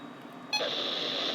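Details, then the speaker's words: Radio Shack weather alert radio sounding in the night with thunderstorms forecast. Quiet hiss, then a sudden steady, high electronic tone that holds without a break; an alert warning, exact cause unknown. "okay so the noise that this radio shack does is yeah that's what the noise did that's what the noise was and it woke me up which was very annoying"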